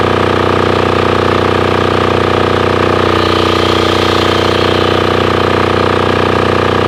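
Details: Formerly non-running Titan 7500 W diesel generator revived after cleaning, started on a weak jumper box using compression release: steady even diesel thump at fixed speed, no misses, knocks or hunting; normal running.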